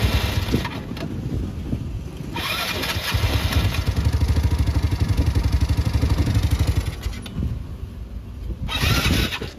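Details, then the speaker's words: 2019 Yamaha Mio Sporty scooter after fixing no compression (valve not holding pressure; spark plug thread possibly stripped): short crank, catches immediately, settles to an even steady thumping idle about four beats a second; healthy. "Tingnan mo ngayon mga kayagi, antar kagad."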